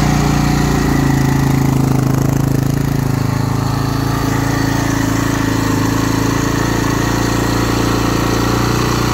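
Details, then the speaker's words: 2009 Husaberg FE 450 single-cylinder, after about 30–40 km of riding on its first summer ride following rebuild work: standing with clutch pulled, idle thumps steadily at a raised speed, increasingly far too high. "fahren die Kupplung ziehe also im Stehen das ist stand das viel zu hoch dreht das ist mir extrem aufgefallen"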